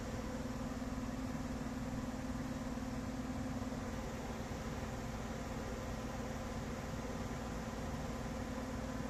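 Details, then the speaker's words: Goodman furnace after replacing the blower motor that had been screeching loudly: smooth, even hum with a steady low tone and no screech or rattle. The blower now runs normally. "listen to that baby hum [Music] yup so it's working good"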